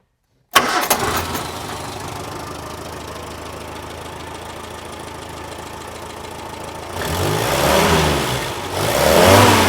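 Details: 1958 Morris Minor 1000 after the exhaust manifold-to-pipe joint leak was fixed by re-bending the pipe and grinding for the clamp: the engine catches at once and idles evenly, with no puffing or ticking at the joint; sounds sealed.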